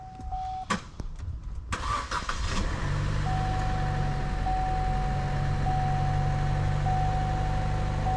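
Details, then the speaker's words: 2011 Chevy Cruze with new engine and newly installed turbo (no longer smokes) cranks, catches, then idles with a faint stumble about once a second; skipping misfire at idle, suspected low compression on cylinder two, not yet compression-tested. "we haven't ran a compression check yet but let's see right here listen to it it starts up maybe there it is skipping"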